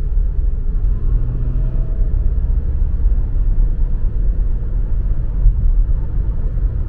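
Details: 2010 Lincoln MKS, 3.5L EcoBoost V6, 6-speed automatic AWD, fresh engine and fresh turbos, leisurely cruise at about 40 mph: a steady low rumble with no turbo whistle, where the old damaged turbos were audible. Normal running.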